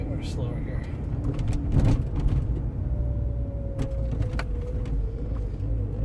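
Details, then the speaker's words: Land Rover Freelander 1 driven slowly over bumps on private road: sharp knocks over road hum from left front, less on right; worn sway bar drop link clunk. "If you hear a bit of that clunky, right here, you hear a bit of a knocking. And you hear more in this one here, be on the left front of the engine."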